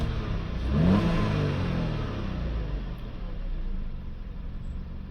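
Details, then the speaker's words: Audi A5 1.8 TFSI after oil separator and boost pressure sensor wiring repair, turbocharger boost circuit code still present: quick rev blip settling smoothly to steady idle, no stumble or hunting; healthy. "The engine seems to be handling it well. It's coming back down to idle nicely"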